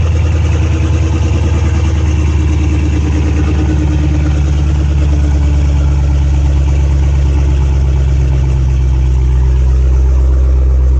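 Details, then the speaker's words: Dodge Challenger Hellcat V8 after spark plug replacement: deep, loud, steady burble with even lope, no misfires or ticks; normal idle. "sounds like it's running pretty good you can't drive it because it's missing a wheel but once the customer puts the wheel back on it's gonna have to go driving and see don't seem like it's misfiring or anything like that so we're good"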